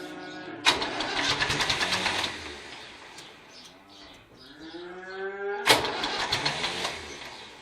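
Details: David Brown tractor, started knocked out of gear. Two bursts of fast, uneven starter churning with a pause between, never catching; cranks but won't start. Starter reportedly kicks out worse as it gets hotter; throttle linkage checked; a flat battery is questioned.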